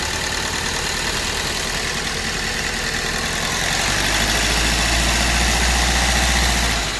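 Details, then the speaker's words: 2012 Hyundai Verna Fluidic idling with cylinder 3 dead and error code set; injector taken out and checked, supply very low, fault in ECM. Uneven idle with steady knock three to four times a second over a lumpy hum. "ਜਦੋਂ ਅਸੀਂ start ਕੀਤਾ ਤੁਸੀਂ ਦੇਖ ਸਕਦੇ engine ਬਹੁਤ ਜਿਆਦਾ ਨੋਕਿੰਗ ਕਰ ਰਿਹਾ ਤੇ ਚਲ ਰਿਹਾ"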